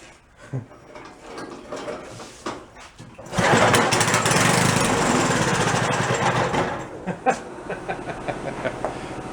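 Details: Abandoned 1962 snowblower started: after a quiet stretch the engine catches, runs loud and a bit uneven for a few seconds, then settles. Old snowblower running again.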